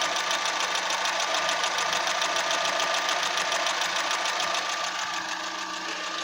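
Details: Fiat Punto petrol engine with a really rough idle, a pulsing beat of about three to four thumps a second shaking the engine at random intervals; plugs, air filter, leads and mid exhaust section already replaced, Redex used; drives fine.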